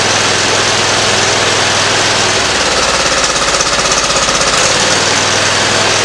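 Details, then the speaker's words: Simplicity ZT2500 zero-turn mower, Briggs & Stratton Professional 724cc 24HP twin, before coil replacement: loud uneven thumping, stumbling beat about three per second; one cylinder misfiring from a bad ignition coil, runs better after replacement. "in the sound of that you can tell how the ancient sound changes there but that was the issue we had a bad coil on it"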